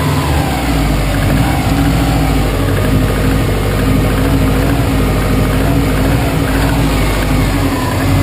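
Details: 2005 Saab 9-2X Aero, 130K km, semi-rebuilt with new timing belt and head gasket: steady idle with faint rapid tapping under the rumble; suspected piston slap/knock, not confirmed.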